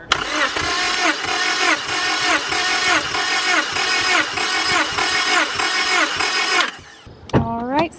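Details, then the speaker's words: 5th-gen Honda Prelude BB6 with H22 engine, cranking during a cylinder-by-cylinder compression test: steady, even compression pulses about one and a half per second, no weak beats; compression about 170, a healthy engine. "i know the motor is healthy because the compression test was really good like 170 is probably the highest compression that um an h22 motor that i've compression tested has ever been"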